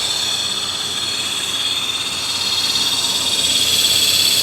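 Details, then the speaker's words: 1992 Dodge Dynasty at idle, AC off, under hood: steady high-pitched metallic whir; AC compressor clutch spinning when it shouldn't, suspected failing compressor clutch bearing, not confirmed. "sounds like some bearings doesn't it going out on an idler or tensioner pulley or something maybe air conditioning see that compressor clutch it's trying to spin right there it should not be trying to spin the AC is not on"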